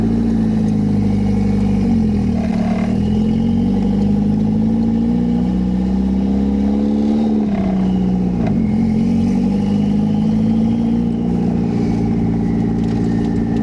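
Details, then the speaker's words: 1991 Toyota MR2 with turbo swap (CT26 turbo), hot day around 83–85°F, overheating and a suspected vacuum problem: loud, raw, boomy exhaust drone rising and falling with throttle from an open downpipe with no exhaust fitted. "so this is open downpipe oh it's pretty loud so let's get on the way"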